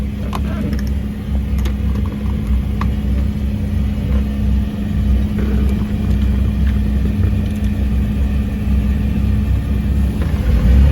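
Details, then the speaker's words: Volvo Penta 4.3 boat engine, lacking power and won't plane: deep uneven rumble at low throttle, runs rough; failed sound-shield foam. "but I don't because it runs rough right down there so I'm gonna see what's going on"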